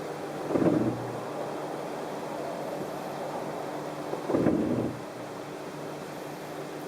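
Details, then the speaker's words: 2013 Chrysler 200 after about five miles of town driving, brakes not very hot: two short low groaning creaks each time the brakes are released at a crawl, occasional squeak, plus steering-wheel pulsation; brake creak on release, cause not pinned down. "I sometimes get a little squeak and you get that creaking sound what's every time you let off the brakes even if you've let them off normally like you were going to accelerate you get that Creek does it every time"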